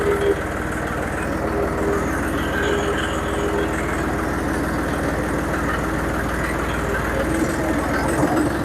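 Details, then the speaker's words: John Deere 5055D diesel tractor after cleaning sludge from the fuel tank and replacing the screened tank outlet, fuel primed: ticks over at a steady, even low beat with no misses or knocks. Normal idle. "all right that uh that seemed to be uh all it took I revved it up and wrote drove around just a little off at the uh PTO speed so that uh make sure it was getting good fuel it ran great"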